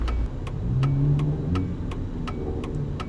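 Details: Nissan Sentra Spec V after an 8000 rpm mis-shift over-rev: steady low idle with a light, even tick about four times a second, no knock or misfire; owner thinks it sounds good, compression test still planned.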